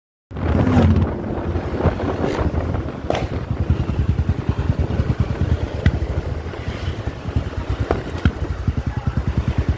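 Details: 500cc single at slow idle: uneven thumping beats with occasional skipped or sharp popping strokes; engine misfiring.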